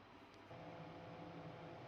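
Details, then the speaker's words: No-frost fridge not cooling below, evaporator fan checked with the inner cover open, compressor also running: steady low hum comes in and holds even, no wobble or rubbing; evaporator fan running normally. "Bien, ahí lo estamos verificando entonces que el forzador también está andando. Entonces ya escuchamos que el motocompresor está andando."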